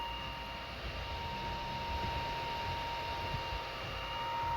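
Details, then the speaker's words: Steady, even fan whir with no stepper grinding or clicking from a modded Anycubic i3 Mega printing a small gear in carbon-fiber PLA; the motors are silent and only the power supply fan is heard, so the printer is printing normally. "for now this is really really smooth everything is really smooth no noise from the motors as you can hear only the dam fan"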